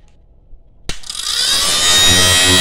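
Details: Inverter welding machine with a flapping/humming noise inside, heard at switch-on. Cooling fan spins up with a fast, dry rattling tick over its whirr. Fan blade striking a loose wire.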